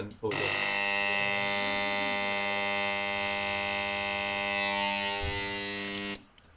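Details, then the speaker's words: Ariston domestic boiler, brand-new shaded-pole combustion fan temporarily mounted on the combustion chamber for testing: harsh, very loud buzzing whine at one steady speed, then cut off. "okay so you've just heard that fans incredibly loud that's a brand new fan that's probably why the engineer didn't think it was at full"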